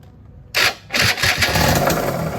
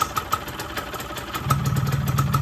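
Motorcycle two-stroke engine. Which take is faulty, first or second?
first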